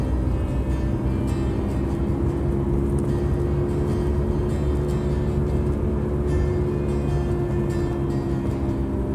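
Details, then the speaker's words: 2009 Subaru Outback coasting downhill in neutral with the engine idling, before repair: loud, steady drone with a fixed low hum from a bad front wheel bearing, later replaced. "we're hearing the obvious Rumble of a bad wheel bearing on the front of my 2009 Subaru Outback hosting a new going downhill in neutral with the engine idling makes it easier to hear"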